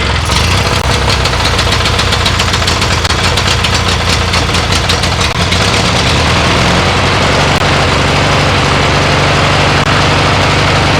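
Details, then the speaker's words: MTD mower twin-cylinder engine, running after head gasket and woodruff key replacement (aluminium key swapped for steel), needing more choke: lumpy choked start settling into a steady even idle without knocks or misses; normal running, burning off oil and mouse debris. "yeah it smells terrible but it works"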